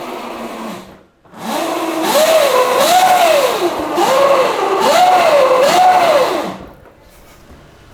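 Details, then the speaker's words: Yamaha Mio converted to electric, chain drive, after Motul chain lube: a high wavering 'wing wing' whine rises and falls with each throttle blip; drive still noisy after lubing. "Masih berisik. Iya. Enggak apa-apa sih sebenarnya. Jujur gua malah suka sih dengan suara yang kayak gitu. Kayak suara mobil F1, cuy."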